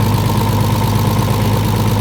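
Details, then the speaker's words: RB30DET with a BMW 7-speed DCT swapped into a 1950s Ford Popular: deep, coarse, tractor-like clatter under a steady idle, heaviest in the low end, from the gearbox, not the tensioner. Suspected low fluid or air in the mechatronics after removal. "gearbox. Why is it making that noise? Low on fluid. What? Just cuz it's low on fluid. It's doing that. No, cuz it's got air in the meatronics."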